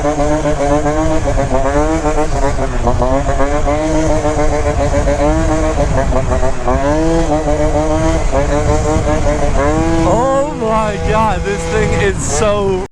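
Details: Yamaha Zuma scooter, freshly built engine with C16 pipe during break-in ride: crisp two-stroke buzz climbing and falling cleanly through the revs under load, no bogging or misfire; normal running.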